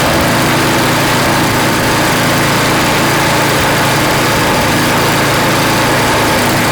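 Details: Craftsman snow blower (customer's) after cleaning and reassembly with a replaced seat: small single-cylinder engine runs at a steady, even speed with no misses or surging; sounds healthy.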